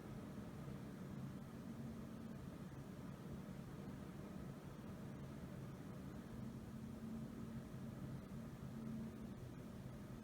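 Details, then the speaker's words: Intel i7-8700K overclocked to 5 GHz on all cores with AVX offset 3, Noctua NH-D15S cooler; temperatures rising under load as fans ramp up: steady airy whoosh with low hum, no rattle or grinding; normal fan noise under load. "I'm getting a little higher temperatures now that I'm at 3.2 five zero and hopefully you can hear the fans ramp ramp up"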